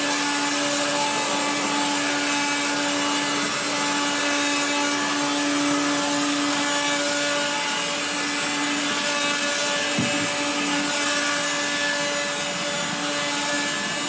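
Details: 1970s Regina Electrikbroom 3-speed vacuum, motor and fan dry after being washed, giving a steady motor whine under a constant harsh, gritty grinding rasp while vacuuming the floor. Dry motor bearing.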